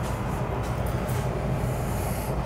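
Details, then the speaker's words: 90%+ gas furnace leaking water onto floor: condensate pump's steady low hum runs without break or pitch change, never shutting off; blocked drain line suspected, possibly frozen outside. "oh yeah well that's not a humidifier that's a uh condensate pump can hear it running too so it must be a block line"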